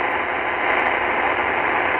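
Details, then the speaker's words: Qodosen SR-286 radio on 520 AM with whip antenna: steady hiss and buzz with no station; interference hash from the digital display, rising when a hand is near the cabinet, easing when the display volume legend goes off. "okay so you can hear the digital hash noise there on 520 there shouldn't be any hash noise"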